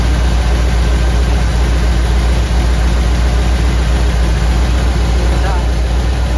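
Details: 1959 Ford wagon V8: a low, lumpy idle with one cylinder dropping out. Misfire on number eight, suspected bad spark plug or plug wire.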